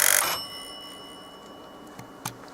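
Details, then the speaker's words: Test buzzer inside a transmitter/receiver unit, sounded by pushing the test button while investigating a faulty test mode; the buzzer is not shown on the schematic: a short, bright buzz of about a third of a second; working. "please pushed it the test button and you will hear a buzzing sound and the button sound originates from a butter which is to be found within here"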